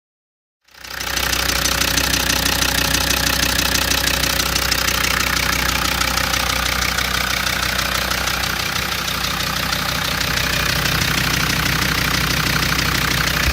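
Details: Land Rover Td5 diesel at idle: fast, fairly even clacking about three per second rides over the idle and holds steady throughout; unexplained rattle.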